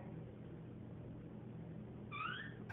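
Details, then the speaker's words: Door swinging on a dry hinge pin: short, sliding high squeal near the end, before trying bar soap on the hinge to get rid of the squeak. "all right folks so today we're trying to get rid of this squeak"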